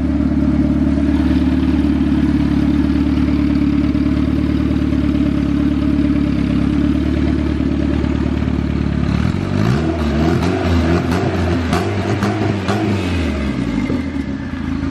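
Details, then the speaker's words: Built turbo B16 EF Civic hatch, idle set with the throttle stop and not yet warmed up: a steady idle breaks up and stutters when the throttle is cracked; the owner suspects it is running lean. "Never mind, she sounds a little lean. If I just crack it, it wants to sputter out."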